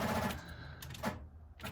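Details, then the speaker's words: Same Jeep with a battery dead for two months, key turned after the jump pack was removed and the engine had run only about 30 seconds: a few faint single clicks with no cranking. Battery still too flat to turn the starter. "It is click, click, clicky dead."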